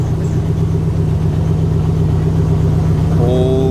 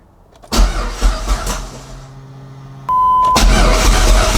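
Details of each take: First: Dodge SRT-4 first start after Walbro 255 fuel pump, new fuel canister and fuel tank install: steady, even low idle with smooth pulse, no knocks or stumbles; a little smoky, running well. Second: Dodge SRT-4 at first start after Walbro 255 fuel pump and fuel canister install: starter churns about two beats a second without catching; crank, no start attributed to a faulty injector.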